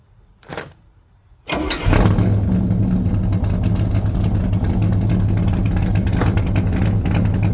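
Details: 1978 Corvette C3 V8 starting with newly fitted side pipes after rebuild: starter whirr, catches and settles into a loud, steady, lumpy open-pipe idle with an even beat; normal start and idle.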